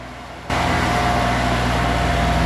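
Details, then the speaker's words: 40-year-old Kubota F2000 front-mount mower, three-cylinder diesel, after oil, coolant and hydraulic service; even clattery diesel beat with no misses or knocks; normal running. "The retro vibe, combined with the awesome clattery 3-cylinder diesel sound, puts a smile on my face every single time I fire it up to mow."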